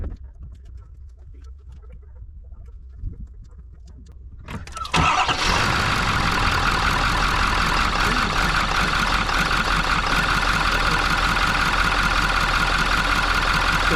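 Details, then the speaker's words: 2019 Ford F350 6.7 Powerstroke diesel, cold start with the oil cap removed: a loud, steady idle with a hissing rush and smoke from the filler, excessive crankcase pressure blamed on a clogged CCV filter. "quite a bit of smoke coming out the oil cap dances this is a cold start move the cap on it's got quite a bit of pressure in there"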